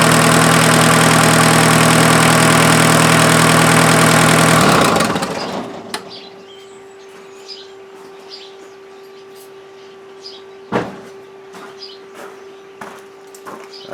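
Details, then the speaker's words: Mazda offroad truck with its freshened replacement diesel engine on first run after the timing belt was fitted (owner wondered if the belt was a tooth off): steady, even clatter at idle before shutdown, no misfire or knock, no cooling-system smoke; normal diesel idle. "a good sign sounds pretty good"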